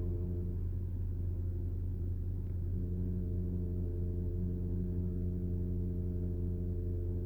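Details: Porsche PDCC roll-control system (Cayenne, Panamera, 911): low steady drone with a constant-pitch whine from the radial-piston tandem hydraulic pump; normal pump noise, nothing broken.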